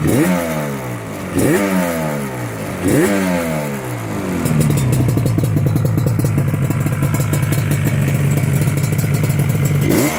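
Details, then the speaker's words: Restored big-bore Yamaha RD350LC two-stroke with expansion chambers after re-jetting: three sharp blips rising and falling cleanly, then a crisp steady held rev; pulls evenly, jetting near perfect. "as you can see it sounds pretty good checking is just about perfect now"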